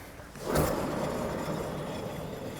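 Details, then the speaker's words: Renault 5 GT Turbo on a ramp, front wheel spun by hand: gritty rumble fading as it coasts down, rougher than the slight disc noise; front wheel bearing worn. "I don't know if I don't know if my Mike's picking that up that is knackered if you want to doubly check it's not the disc and it is a wheel bear"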